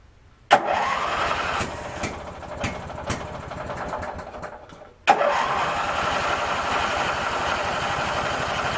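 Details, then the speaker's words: Craftsman 19.5 riding mower after ignition switch replacement, tends to start only on releasing the key: starter cranks in bursts, engine catches for a moment, then runs roughly; owner thinks it flooded. "I think I flooded it [Applause] well you heard it run for a second thank you"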